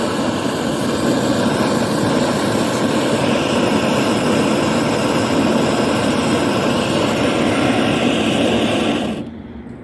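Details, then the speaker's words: BRS-8 multifuel stove, previously never worked, after repair: loud, steady rushing roar that holds even, stable even in wind, then cuts off abruptly; normal burner roar with a full flame. "so how quiet am I just hear it's quite noisy little thing"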